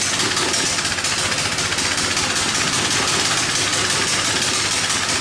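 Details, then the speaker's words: Coleman BT200X minibike single-cylinder engine, tipped in mud, governor linkage problem: holds one fast, steady high idle buzz with no climb in revs when throttle opened; won't rev up. "doesn't really want to rev up at all"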